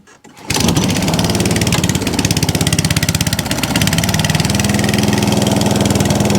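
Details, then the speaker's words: ATCO 14S cylinder mower with no fuel tap, holding fuel without leaks, started on choke: catches almost immediately and settles into a brisk, even, steady single-cylinder putter; normal running. "That's lush. So that one works lovely as well. So that's four that run absolutely beautifully."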